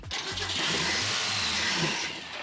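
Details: Abandoned classic Mustang in a junkyard, fuel pump fitted and squirting gas: fast starter churn with the engine chuffing and nearly catching for about two seconds, then dying off; old engine struggling to fire, heavy blow-by and smoking badly.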